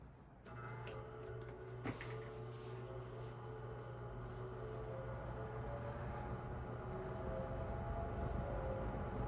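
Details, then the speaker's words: Lakewood P25 metal-blade window fan, barely used since bought new around 2009-2010, running in a window for the first time on low speed. A soft steady hum with a gentle metal-blade chop about three to four a second; running normally. "I just love how you can hear that chopping sound. Those metal blades."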